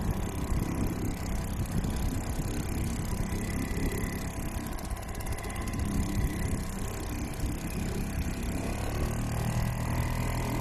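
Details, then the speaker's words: Restored old Seagull 40 Plus outboard running in the sea at the beach, pumping lots of water at raised revs (stops pumping at low revs): steady, even two-stroke drone, no hunting or misfire, water splash behind; normal running. "Yeah, it's perfect. There's nothing wrong with that now. Absolutely fine."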